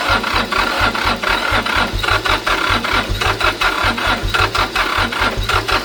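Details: International 285 4x4 diesel tractor (title says 284), restarted after revival: steady low thumping beat with clattery top end holding an even idle; running normally, though steering box, flat tires and stuck clutch still need fixing.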